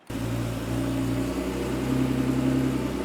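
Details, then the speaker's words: 1987 Porsche 911 Carrera 3.2 engine on a test stand, first run after sitting for years, after setting the flywheel speed sensor gap: smooth, even warm-up idle holding steady around 1100 rpm with no misses. "got a much smoother idle now I'm pretty consistent at 1100 which is pretty normal for the warm-up"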